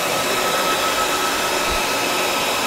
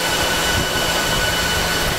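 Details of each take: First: Dell PowerEdge 2950 II server in a room of about 20–25 degrees: a loud, even fan rush that rises in pitch as the cooling fans ramp up after a hard drive is pulled. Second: Dell PowerEdge 2950 II server with lid off, just after boot; loud steady rushing whoosh with faint high whine, fans at full speed after startup check, about to slowly ramp down; normal.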